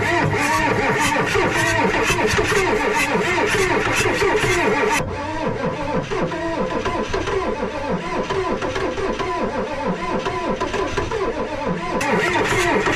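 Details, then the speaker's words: Ford 6.9 IDI diesel revival: long steady starter cranking at about 3.5 beats per second with no catch or firing; juicing so fuel is present, owner suspects lots of air in the fuel system; cranks but won't start. "But it's cranking and it's juicing. So you know what that means. It's getting fuel."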